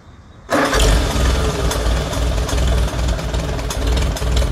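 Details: Farmall A tractor after Zenith carburetor cleaning and rebuild, first start: catches right away and settles into a steady low idle with an even, unhurried beat and no knocks or misses.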